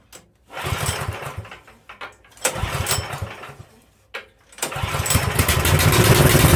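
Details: Troy-Bilt snow blower, usually a one-pull starter: several short pulls sputter and die, then it fires and holds a ragged run; a hard start, owner suspects flooding.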